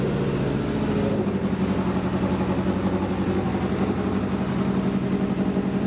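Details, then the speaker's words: 1977 Suzuki GS750 on a test ride: steady four-cylinder drone with a low, even beat and slight surging. Not perfectly tuned but rides well enough; normal running. "right so as you can tell that test ride went pretty damn good uh i'm not gonna say that it was tuned 100 perfectly but it was definitely uh [Music] tuned enough to take it for a ride"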